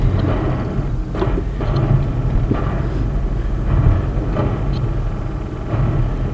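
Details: 2016 Corolla stuck in snow: low steady engine drone with faint clicks about once a second as traction control intervenes, blinking light, limiting engine rpm so the car can't rock free; turning traction control off freed it.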